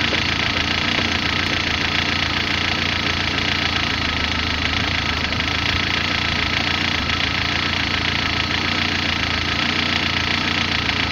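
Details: Rough, uneven idle on a car engine: a busy, rattly mechanical noise layered over a wavering low beat.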